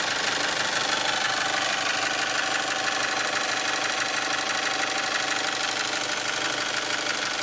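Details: 1998 Toyota RAV4 at idle: a fast, even top-end ticking clatter grows busier as revs sag. Owner suspects valve shims worn to the far end of tolerance from neglected oil changes, despite the head having been redone. The noise is noticeable but not loud.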